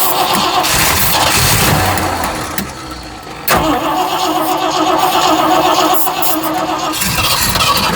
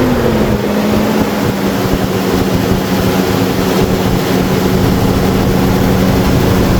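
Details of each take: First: Cheap $80 Amazon carburetor just installed, first cold start attempt: starter cranks steadily, about four turns a second, with no firing. Fuel starvation; owners suspect low gas or a fuel pump ruined by dirty fuel. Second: Engine idling after installing a cheap $80 aftermarket carburetor, first run, no fuel filter fitted; steady, even idle with smooth low drone, no misses or knocks, sitting slightly high but running cleanly; normal idle.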